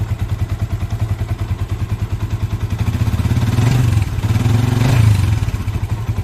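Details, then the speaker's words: Used Yamaha Vixion Old single-cylinder engine idling with throttle blips: somewhat rough by nature but healthy-rough, not diseased. "Nah jadi mesinnya Vixion itu agak kasar, tapi kasarnya itu kasar sehat sama berpenyakit pastinya beda ya. Kalau sehat tuh ya emang begini, suaranya agak kasar tapi enak."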